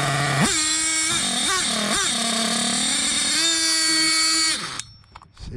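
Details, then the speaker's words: Hobao Hyper 7 RC nitro car, JL .28 engine on its stock carburetor; tiny engine screams, surges and dips unevenly on light throttle blips, then cuts out; erratic throttle response from faulty carburetor, later swapped for HPI carb. "It felt like it was just going from no throttle to max throttle, and I was only bleeping the throttle, so I couldn't understand it."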